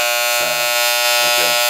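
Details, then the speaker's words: Wahl Senior hair clipper: harsh, loud rattling buzz far rougher than normal hum, power screw turned in too far, which speeds the blade; loud buzz from power screw set too far. "now let me explain to you what that sound is and why that happens okay now here's this little screw right here is very important this screw is your power screw okay"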